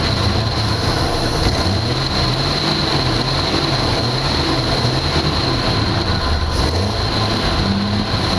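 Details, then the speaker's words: 1982 Jeep Cherokee six-cylinder, not run in years: steady revved engine, fairly smooth with a slight wavering note, sounding better when revved. Fuel delivery problem, not picking up fuel; owner suspects a holed line or bad pump and plans an inline electric fuel pump. "All right, sounds a lot better now that I revved it up, but we still have a problem with fuel delivery. So I think what I'm gonna have to do is I'm gonna have to get a electric fuel pump and put in line, because it is not picking up on the fuel."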